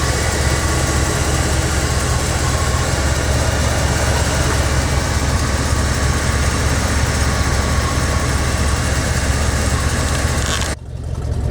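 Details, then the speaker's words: Truck at idle after an oil change with conventional 10W30 and a pint of Mystery Oil, top half of the engine heard: deep, steady rumble with no ticking or knocking; sounds normal. "I'll be starting it up and letting you hear what it sounds like at the tailpipe in a minute it is kind of loud"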